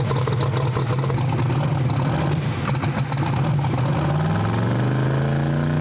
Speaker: So now it's so lean and good air, it won't come up on the 2-step. I had to take so much fuel out of it before trying to get it to come around. Now it's unhappy. Heard it sneeze there twice and whatnot.